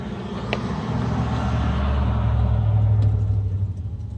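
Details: 2018 Nissan Kicks: even, low churning of the starter at about four beats a second that never picks up into running; crank no start.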